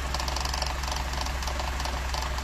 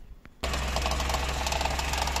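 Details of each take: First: Cold first morning start of a 1980s Mercedes W124 petrol engine after EFI conversion: low rpm idle with deep throb and light shake, exhaust still cool to touch; normal cold idle, vibration expected to decrease and stabilise as it warms. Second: Converted 1980s Mercedes W124 with new EFI, harness and injectors, first cold morning start with exhaust still cold: engine catches at once to a low, slightly shaky cold idle, light fast rattle from the air filter restriction gauge over the hum.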